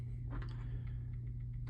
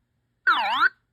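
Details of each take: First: Early Bally solid-state pinball sound board after socketing a chip and the amplifier; on power-up only irregular faint ticks, under one a second, over a steady mains hum with no tones: no sound output, fault still present. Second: Early Bally solid-state pinball sound board after installing a replacement chip in place of the removed one; credit button pressed, giving a clean half-second warbling tone that dips and rises with no distortion or dropout: normal credit sound.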